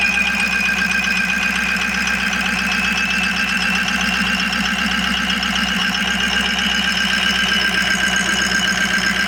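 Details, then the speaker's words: Ford E350 van with a 6.0 Powerstroke V8 diesel, after all eight injectors were replaced to cure a cylinder 7 misfire: an even, steady diesel clatter at idle with no stumble. All eight cylinders are firing and it sounds healthy. "guess that is the noise to success, or the sound of success right there. All 8 injectors are working. Listen to this. Sounds good to me."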